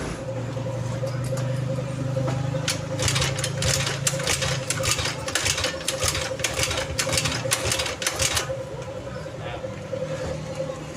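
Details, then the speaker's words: Early carbureted Honda Beat scooter kick-started: repeated kick strokes about twice a second with no firing; no ignition power, horn, turn signals and brake light dead. "Sen nggak ada yang nyala dan lampu rem juga tidak menyala ini belakang. Ini motor mogok dan saya coba engkol nggak hidup."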